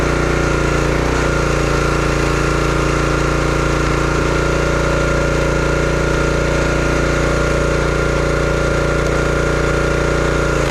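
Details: Brute 30-ton log splitter, Briggs & Stratton engine (9.5 ft-lb gross torque, roughly 5–6 hp), brought in as a no-start: steady, even drone under load splitting wood, no surging, misses or bogging; running well.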